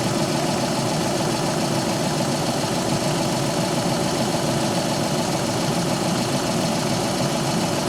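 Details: 2013 VW Polo 6R 1.2 TDi after oil filter cooler housing replacement for a coolant leak, run up toward temperature: steady, even diesel clatter at idle with no knocks, misses or hunting; housing now dry, leak fixed.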